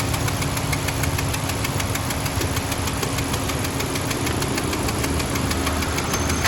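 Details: Honda Civic with a steady idle and a fast, even ticking knock riding over the engine note; the knock's cause is not yet pinned down.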